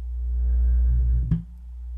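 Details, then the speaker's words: Miller and Kreisel MX-125II subwoofer, 24+ years old, powered on with no audio input: deep low-frequency rumble and a sharp thump as the cone moves in and out. Owner suspects a DC offset; loud thumping was the customer's complaint, sub later restored to working order. "and the audio is turned off right now there's no audio going into this thing at all and so yeah the cone should not be going in and out there's some kind of a dc offset going on"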